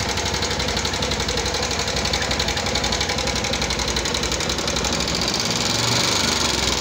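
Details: 2014 Yamaha Jupiter MX carburettor motorcycle at rough idle: fast even light ticking about four a second, "kletek-kletek" top-end clatter; suspected valve train wear or loose valve clearance, not confirmed.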